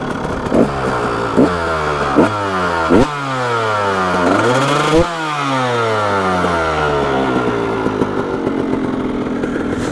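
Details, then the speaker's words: Freshly built KTM 300 XC Slovakia Edition two-stroke: crisp, clean throttle blips rising and falling quickly with no misfires or stumbling. Normal two-stroke revving. "all right my friend so the bike runs amazing you could hear it on the video and this thing is this thing is crisp it runs so good"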